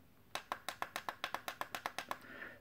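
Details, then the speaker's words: Mr. Coffee automatic coffee maker after fixing a sticky switch by tucking the plastic steam shield back around the circuit board: about a dozen crisp, evenly spaced clicks, each snapping back cleanly; previously stuck button now works freely. "and now listen to the buttons work now this was the stuck one"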